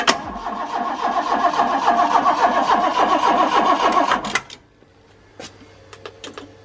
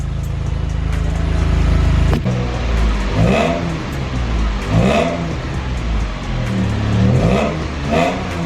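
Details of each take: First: Car that hadn't run for over a year, jump-started because the battery is weak: the starter cranks steadily for about four seconds and never catches. No fuel is being delivered. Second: Car that had not run for over a year, after a leaking fuel-pump pulse damper was resealed with a rubber-and-aluminium ring: steady low idle with about four clean, even rev blips rising and falling smoothly without misses; normal running and revving.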